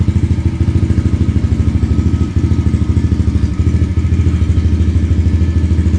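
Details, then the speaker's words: 2022 Yamaha TTR110 pit bike with full Pro Circuit exhaust, just started and warming up: steady, even single-cylinder putter about two and a half beats a second with slight lope; normal warm-up idle. "so I just fired it up that's the sound of it idling just kind of warm it up here to do a little walk around"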